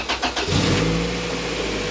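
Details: 1999 Honda Civic EK with B-series swap and new Carrot Top Tuning harness, after fixing a disturbed starter power cable that caused a solenoid contact issue: quick cranking beats, engine catches and settles into a steady run; starter now cranks properly.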